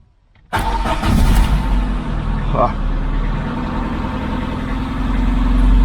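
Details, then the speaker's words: VAZ 21099 with burnt wiring after an ignition switch replacement, after swapping the engine control unit; short crank then clean start and steady even idle, confirming the old ECU was the fault. "Ну що як бачимо авто завелось справа в блок у блоці двигуна"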